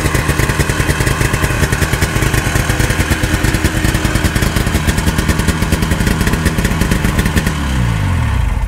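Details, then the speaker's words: 1972 Ski-Doo Nordic 440 two-stroke snowmobile after a full engine rebuild, with new plugs and carb adjustments: it buzzes with slightly uneven firing, then drops off and stumbles. "the test drive didn't go too well like it was starving for fuel right right"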